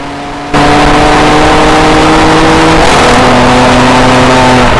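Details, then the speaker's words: 2007 BMW E90 335i N54 on track, custom Sutphin transmission tune integrated into custom engine tune, aimed at curing flare/misfire on shifts (shift timing issue); engine pulls hard, then pitch drops cleanly in quick gear change, no flare — clean full-throttle upshifts. "the sulfon tune improves throttle tipping shift characteristics of the xhp state for Eckstein turns"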